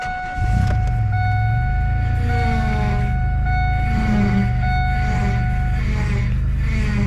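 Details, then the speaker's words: Car at idle before a long road trip: steady high whine holding its pitch from the power steering pump; problem had been fixed months earlier in winter and has returned, owner suspects either the pump is shot or another cause. Power steering pump whine. "it should not make that noise now now for my attentive viewers you might remember that I've already fixed this problem a couple months ago back in the winter"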